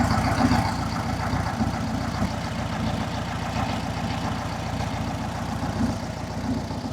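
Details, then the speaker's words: 1967 Volkswagen Beetle barn find, air-cooled engine with electronic ignition, untuned, running after 46 years stored, timing about 5 to 7 degrees advance: steady even putter about three and a half pulses a second, no misses or knocks; healthy idle. "So, but as you can hear and see, it's uh it's running. I don't know if I call it a Swiss watch, but it's um it's running like a European watch."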